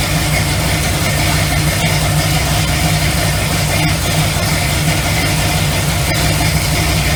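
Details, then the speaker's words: Classic V8 muscle car with 4.11 rear final drive and 65–70 psi oil pressure, at steady idle; an even beat with a faint fan and alternator whir as the fans load the alternator. Normal, healthy idle under electrical load. "I mean, as soon as those things kick on that alternator, you can hear that load."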